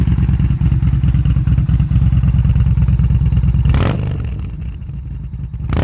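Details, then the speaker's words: 2018 Yamaha Bolt, 6,063 miles, cold start, Vance & Hines V02 and Bassani 3.5 slash-cut exhaust, stock ECU before flash: heavy revs, then throttle closes and two sharp cracks of deceleration afterfire, worse on gear changes or off-throttle. "so Ivan says that it's going to go ahead and take it away that pumping on deceleration when you're switching gears or when you're leaning off of the throttle"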